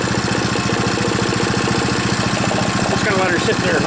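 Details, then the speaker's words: Powerfist single-cylinder petrol engine idling after full teardown and rebuild, first run; steady even chuff about 3.5 beats per second, no knocks or misses, sounds healthy. "I might end up going across the uh parking lot I don't know sounds good though for you know being tore right down to nothing"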